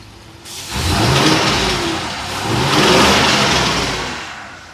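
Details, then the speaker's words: 2020 Ford F53 motorhome chassis, 7.3 V8 with codes P0304/P0308, misfiring once at normal temperature: two uneven, rough rev blips; mechanic hears a noise suggesting a damaged rocker or pushrod, unconfirmed. "a mi experiencia se oyó un ruido se un ruido Como que este tuviera una un r Ah un balancín etcétera como que tuviera dañado una varilla"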